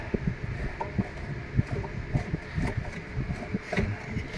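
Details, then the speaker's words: Sharp top-load automatic washing machine with E3/E4 errors and very slow draining: the drain motor buzzes steadily with a faint rattle while pulling, but the drain mechanism may not be lifting far enough; cause suspected in the mechanism, not confirmed. "so bumabatak naman yung drain motor kanina bumabatak siya kaya lang possible na dito may problem"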